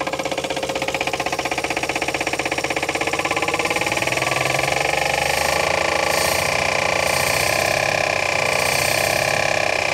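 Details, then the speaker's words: 1962 Chevrolet Biscayne, 235 Blue Flame inline-six, sat in a field since 1969 and just restarted: rapid, steady ticking knock over a rough idle, loud even near the engine, cause not pinned down; exhaust described as good. "oh yeah you can definitely hear how bad she's knocking over here though"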